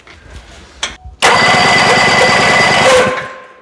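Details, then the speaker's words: 1974 Johnson 440 snowmobile, 309 original miles, sat for decades, oil added to cylinders: brisk even electric-start cranking about two seconds, spinning quicker, strong uniform compression (~120) during compression test; starter and cylinders healthy. "Yeah. I mean, it's spinning quite a bit quicker. Let's just try the compression test one more time. Now the electric start."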